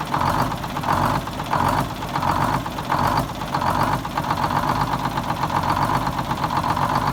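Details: 74-year-old Greyhound bus diesel started from a new start-stop box after rewiring, to check a leak: diesel clatter at idle with a slow, mild rise and fall in loudness, otherwise steady. The engine runs normally at tick-over.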